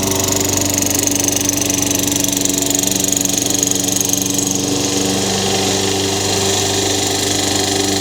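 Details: Craftsman 22-inch mower, Tecumseh 6 hp engine, after a new Champion RJ19 plug and reassembly: steady even beat about four firing pulses a second, no stumbling or surging; runs smoothly, no smoke.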